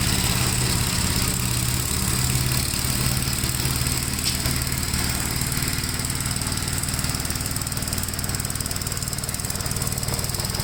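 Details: 1957 Gravely with a smaller 12-volt battery fitted, mowing soaked grass: a steady, low single-cylinder thump pulls the mower deck with an even beat and no misses or knocks. The healthy engine cuts with power to spare.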